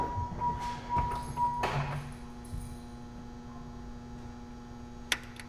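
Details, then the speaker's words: 1994 Camaro Z28 with cheap Amazon line lock on rear brake line, engine running, switch pressed: faint tones and soft thunks, then one crisp small click over a quiet hum; line lock solenoid clicking when activated. "Yeah, you can hear the little click. That means it's activated."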